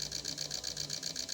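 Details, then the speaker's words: Injectors from a Chevrolet Onix LT 1.2 three-cylinder with power loss and bucking, on a test bench starting slowly and ramping up RPM: crisp, even ticking about seven per second; pulsing normally. "Ahí vemos que la máquina empieza lentamente y va a ir aumentando progresivamente las revoluciones"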